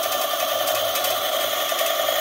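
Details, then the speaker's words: eZip electric scooter, throttle clamped open with wheel spinning unloaded to run batteries down while testing suspected charge fault: smooth steady even mid-pitched hum; normal hub motor running. "okay so you can hear the wheel going i have a clamp up there i see the clamp is right there just holding the throttle and i'm gonna let the batteries run down a bit"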